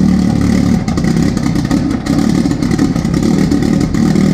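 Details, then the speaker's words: 500hp VW Jetta cold start by jump pack after two months sitting with a fully flat battery, after IE billet fuel rail and Aeromotive regulator install, fuel pressure about 41 psi; loud, slightly uneven busy rumble settling: normal cold idle. "that was very loud so it runs there were these lights first start and probably two months I'd say but powerpack seem good it started the car"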